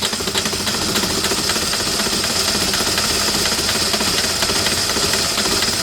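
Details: 2008 Citroën Nemo diesel van, fuel filter primed, clatters unevenly with a lumpy beat and hiss just after starting; shaking blamed on excess fluid residue in the combustion chamber, expected normal once dry.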